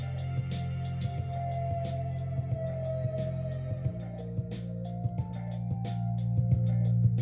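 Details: Mitsubishi DA-R20 early-80s receiver after STK-1060 output module replacement, aux listening test: clean music through speakers, steady and undistorted, no hum, crackle or dropouts; plays normally.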